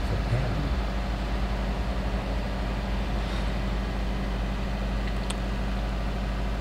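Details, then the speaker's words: 2005 Subaru Forester XT turbo, first start after a few days sitting, after servicing the variable valve timing solenoid for P0011 and resetting the code: steady, even low rumble, no ticks, knocks or stumbles; idling smoothly and healthy. "so far everything feels good"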